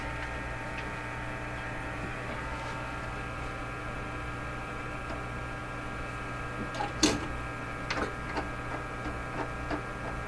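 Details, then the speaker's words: Crosley 12B radio on shortwave, tuned near 10 MHz with a low-level signal generator input: a low steady hum with faint ticks and no background hiss; intermittent tuning problem suspected. "I hear the hum, but I don't hear any hiss. I got to hear some hiss here."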